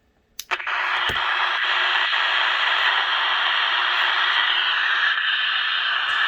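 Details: Westinghouse H-908PN9GP AM/FM radio on AM: a couple of switch clicks, then a loud, steady hissing squeal while FM is fine; caused by a leaky 0.5 µF electrolytic capacitor, replaced with 0.47 µF.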